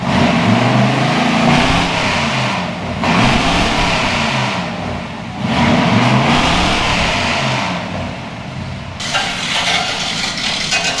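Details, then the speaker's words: 1962 Chevy pickup after a tune-up; it had been missing before and now fires on all cylinders. It starts right up, then gives three clean, even blips. Normal start and rev. "Like it starts good. Starts right up."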